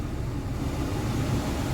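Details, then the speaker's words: Vauxhall Corsa D heater blower after replacing the fan resistor, tested through speeds one to four: strong, even rush of air with a steady low hum and no rattle or dropouts; blower runs normally at full speed. "i'll set your car on and we'll try number one it's coming through number two you can hear it number three here even louder"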